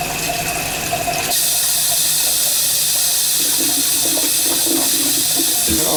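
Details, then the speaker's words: Toilet that keeps backing up, flushed with paper: water rushes in and keeps hissing without a clear gulp, draining slowly; something stuck inside, possibly a toy, suspected. "There's something stuck in that. Something stuck in there. I bet you feel the water's going down slow. Probably a toy. Yeah, it's going down slow."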